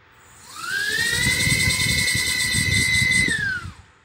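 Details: Whoop drone motors spun up individually while PID tuning, after the owner suspected one motor was knocking and draining the battery: clean high whine rises, holds and winds down smoothly with no rattle; motor sounds healthy.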